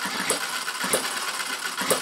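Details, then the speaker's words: Retrol 7cc four-stroke horizontal hit-and-miss model engine running on white gas, electric start: light whirring coast broken by a sharp pop every half to one second, normal hit-and-miss firing and coasting. "but isn't that running nicely"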